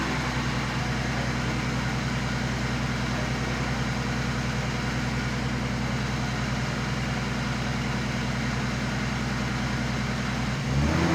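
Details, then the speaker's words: Turbo BMW E36 after an engine-bay fire while drifting, first start a couple of days after the ECU was repaired and refitted: steady idle with no stumble, then a clean quick rev rise; running normally. "it's been a couple days but uh the E36 now starts"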